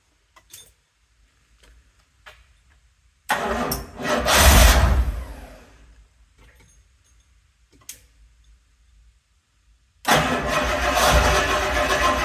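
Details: Rolls-Royce Silver Shadow after ignition tune-up, still on the old ignition wire with the coil not yet replaced: cranks, catches, flares briefly, stumbles and dies, then fires again; hard starting, cause not pinned down.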